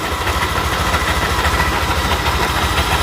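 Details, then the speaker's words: Yamaha NMAX engine run without the pulley (CVT): rough, scratchy rattle over a low pulsing idle beat; suspected front cylinder head fault such as cam chain tensioner, valves or camshaft bearing, not confirmed. "kedengaran suaranya bunyirekkkkkk terdengar Emang di bagian tengah ya tapi analisa saya itu bunyi di bagian kop depan dia sepertinya bunyi di bagian area cop head ya bisa rusak di bagian Templar ataupun bearing noen asnya yang kena"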